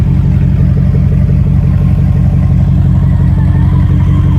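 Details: LS-swap V8 running after VATS was deleted from the PCM; strong, steady deep note with an even firing pulse and a slight rev rise: normal running.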